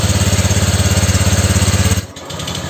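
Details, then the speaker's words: Honda Vario scooter after piston replacement and new exhaust: quick, even putting beat settles lower with no grinding or rattle; smooth start and idle, earlier noise gone. "Hai ternyata ternyata untuk suara mesinnya ini juga suaranya halus suara Nges lahar kulkasnya juga udah hilang ya"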